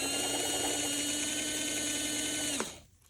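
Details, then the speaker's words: Varney 2-8-0 Canadian Pacific Consolidation model locomotive after freeing a stiff drive and regreasing: a clean, steady high whine and even buzz at full power, picking up from all wheels, so the motor runs normally. "now that is full power it's picking up from all wheels"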